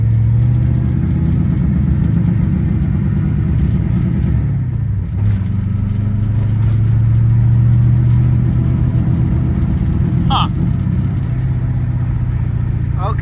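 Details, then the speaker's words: 1984 Volvo 240 wagon with a Mopar V8 swap, warmed up with new spark plugs, on a street test: uneven, stumbling note at part throttle, down a couple of cylinders, cleaning up under hard throttle. The cause is still unknown. "all right so under partial throttle it's still absolute garbage like you can hear it not it's down a couple cylinders but if I get after it cleans up"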